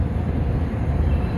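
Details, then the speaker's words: Land Rover LR3 (Discovery 3) air suspension compressor running from an empty system, driven via test valves to inflate an air strut, compressor temp rising: low steady hum with faint whirr, no knocking or squeal; normal compressor operation. "But it certainly isn't doing anything yet, is The it? compressor temp's going up, so my guess is it's doing stuff."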